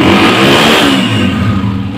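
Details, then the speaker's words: Motorcycle after slow-running (idle) adjustment and damaged wire repaired: a crisp single rev blip that falls away cleanly with no popping or stumbling; no missing now, running fine. "में नौ कोई meeting नहीं है बिल्कुल ठीक है"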